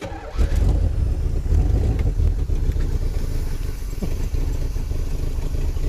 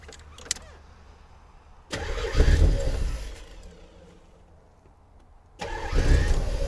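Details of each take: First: 1984 Corvette started after a distributor that had been installed backwards was flipped. Deep, lumpy, uneven fast idle with heavy smoke; owner wonders whether it burns oil or the exhaust is plugged. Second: 1984 Corvette after distributor reset to top dead center, smoking and burning oil: two quick cranks catching right away, flaring then settling to steady idle each time; starts and runs fine.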